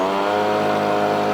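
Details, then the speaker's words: Winterized two-stroke blower on premix, just started on choke within three pulls: a steady, even buzzing note holding a constant pitch with no misses or surging; the engine runs cleanly. "That fired then. Now that was 3 pulls. I could have got it fired on the second pull. It did actually fire. That's a 2-stroke."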